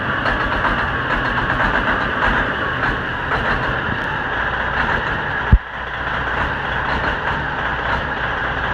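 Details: A Bieber Tourways diesel bus, left idling unattended for 25 minutes and giving off a bad smell, idles heavily with a rough, uneven chug and occasional stumbles. This is a misfire at idle, cause not pinned down.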